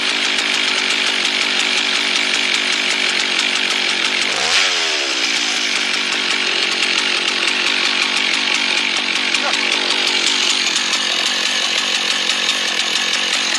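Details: Husqvarna 1100 chainsaw, previously stalling when throttled, high steady two-stroke scream holding pitch through the cut after being sorted, no bogging; runs clean and strong under load.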